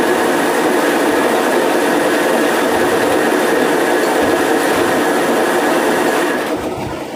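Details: Homemade automatic motor coil winding machine winding a coil: even, steady whirring drone with fixed high whine, no knocks or rubbing, then spins down cleanly as it stops itself at the set count.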